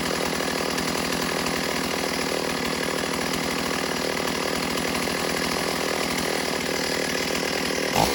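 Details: Stihl AV 028 Woodboss chainsaw cutting wood after fuel line and filter replacement fixed lean bogging, running without air filter; strong steady high buzz holding speed through cut, no bogging.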